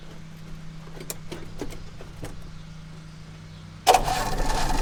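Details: 1960 Oldsmobile Dynamic 88, sat for years, primed with new 3/8 fuel line and jerry-can gas: slow uneven cranking a few seconds, then catches and settles into steady rumbling run.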